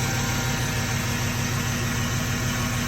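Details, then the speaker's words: 1995 Jeep Wrangler YJ swapped to a 1998/99 GM 4.3 V6 with 700R4, A/C compressor removed and smaller belt fitted; at idle a faint, steady, even power steering pump whine rides over the engine, normal. "You know it's the GM. You can hear the power steering."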